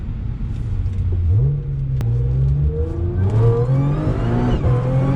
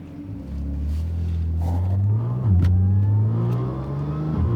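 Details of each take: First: Audi S4 3.0 supercharged with new Magnaflow resonated X-pipe replacing test pipes, manual mode, part throttle in fourth at low rpm; rising supercharger whine over smooth exhaust, no drone or rasp as before. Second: Audi S4 3.0 supercharged with test pipes, before exhaust fix: deep steady drone under low-speed driving with a raspy edge; resonated Magnaflow X-pipe later fitted to cure the rasp.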